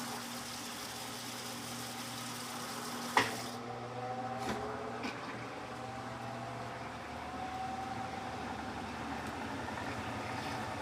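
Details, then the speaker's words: Electrolux LTC15 washer washing sneakers on stain-removal program: soft motor whine climbs smoothly as the drum spins up, water swishing, no knocking; normal spin. "Agora eu vou deixar ela centrifugar normal."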